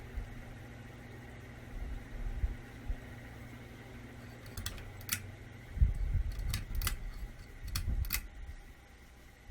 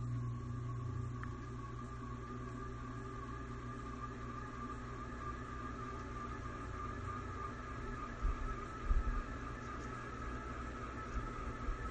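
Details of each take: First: Old ceiling fan on low speed, after cleaning and greasing its crunchy bearings and rebalancing the blades: only a faint low hum with a few light clicks and no rhythmic crunch or rumble; much quieter than before, normal running. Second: Old ceiling fan in rental house on high, slowly coming up to full speed with steady whir, hum and thin high whine; likely dry, crunchy motor bearings lacking grease.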